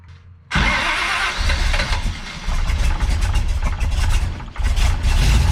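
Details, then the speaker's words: Big-cam big-block Chevy with a rebuilt Holley 750 double pumper, after fuel pressure was built up: fires, then idles with a loping, uneven chop and surging level; large cam overlap gives low vacuum, poor carburetor airflow. Rough idle. "okay so the thing is when you got a big cam with a lot of valve overlap um your engine doesn't create the vacuum that it should so the air doesn't flow through the carburetor like it should"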